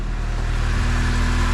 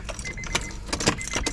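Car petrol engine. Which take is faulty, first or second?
second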